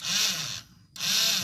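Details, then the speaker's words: Yamaha Jupiter Z (circa 2005) electric starter pressed: two short bursts of high-pitched whirring with no cranking; starter motor spins alone without driving the crankshaft because the connecting idler gear is missing, needs replacing. "jadi yang muter ya itunya saja teman-teman ya, tidak ada yang menyambung memutarkan ke arah atau ke bagian poros engkol."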